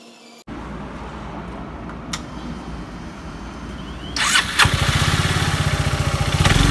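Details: Yamaha Maxam (Magzam) scooter, investigated for abnormal engine noise: brief starter whir, engine catches and settles into an even putter at idle with no obvious knocking.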